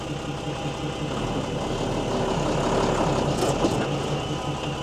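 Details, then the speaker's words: Mercedes-Benz 911 4WD diesel truck, started after sitting for many years, idling with a steady low rumble. An even hiss is heard as the air tank charges; the clutch works and the truck moves. Sounds normal. "You can still hear the tank charging, but at least we know it does move."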